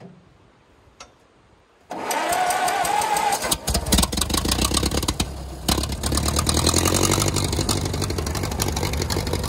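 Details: 1934 Allis Chalmers Model M crawler, 300 cubic inch four-cylinder, 85 years old, long unused; engine catches and settles into a loud crisp open-exhaust bark, steady and even; runs pretty good, only the right track clutch seemingly not releasing.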